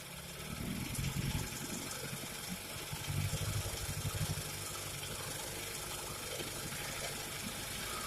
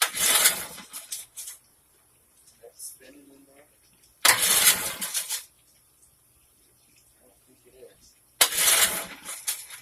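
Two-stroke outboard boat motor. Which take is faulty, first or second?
second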